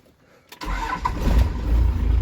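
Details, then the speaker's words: Second-gen 12-valve diesel truck that had sat for a long time, started without priming: a short crank, then it catches straight away and settles into a steady, even low clatter. "to that things been sitting forever and it fires right up"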